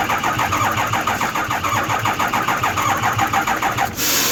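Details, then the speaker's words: Ford 6.0 Powerstroke no-start, cranking with oil pressure sensor pulled (metallic debris on it): steady starter churning about one beat a second, never fires; no oil pressure from port, owner suspects low oil pressure problem, possibly worn pump housing. "so we didn't get no pressure coming out from the low-low at the side of it and so I'm just gonna determine its of oil pressure problem"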